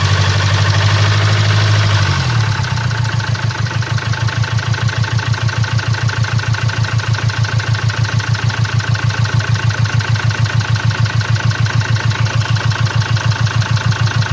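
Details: 2017 Land Rover Discovery TD4, 1999cc 110kW/150PS diesel, engine 204DTD, 175,719 km, idling: sharp, regular, steady knock about three per second over the idle, caused by a defective injector.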